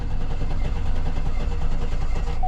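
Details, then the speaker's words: 2009 Hummer H2 with 181,370 miles and a cylinder 3 misfire, cranking in clear-flood mode with the accelerator floored: the starter churns steadily but one crank pulse per turn is lighter, showing a low-compression cylinder; a relative compression test is planned to confirm. "We clearly have a low cylinder. So I should have done that first. I don't know why I didn't."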